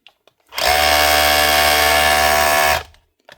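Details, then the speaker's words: 2019 DeWalt DCH273 SDS hammer drill after cleaning and re-greasing, for a fault of not changing modes and not drilling: a two-second run with a steady high buzz and even tone, no grinding or rattling; hammer action sounds healthy. "You can hear the tone change already. It hammers wild hard, and if you start running it, because the grease is still packed in the front, then once it goes back and forth a few times, the grease starts to squeeze out and runs nice and smooth."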